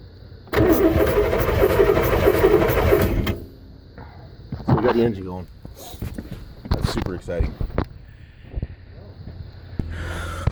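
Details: Volvo Penta 5.7L V8 boat engine, remote starter switch on starter after cleaning starter-battery connections: heavy steady churning for about three seconds as it turns over and catches; cranks and starts normally.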